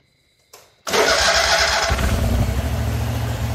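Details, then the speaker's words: John Deere QuikTrak 652R stander after replacing a dragging starter: single starter click, then the engine catches almost instantly and settles into a steady, even run; turns over, spins and starts better, though one later start failed to turn over. "you can hear clearly turns over better spins better starts up"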